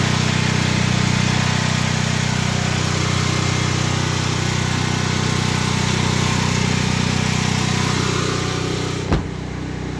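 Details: Predator 8750 generator, over 2 years old, running on a full tank of gas inside its ventilated generator shed with the exhaust fan on: steady, even low hum and fan noise with no hunting or surging. The shed reduces the noise but doesn't silence it. Normal running.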